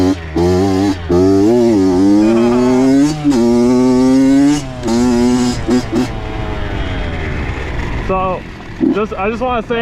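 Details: Honda CR80 two-stroke with a Keihin PWK 28 carb replacing the stock PE 28 over rich-running jetting issues. Sharp revs climb and fall repeatedly, crisp with no bogging. Owner says it runs good, possibly lean; the spark plug was the actual issue.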